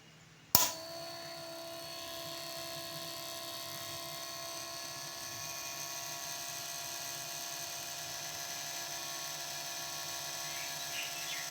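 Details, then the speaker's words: Restored scrap-shop fan motor (originally 6 V) run on 12 V with the camera close to the motor and on/off button. Steady smooth high whine from start to switch-off, no rattle, scraping or wobble; the motor is in very good condition. "Motor sound உங்களுக்கே தெரியும். இப்போ motor பார்த்திங்கன்னா ரொம்ப good கண்டிஷனாக இருக்குது."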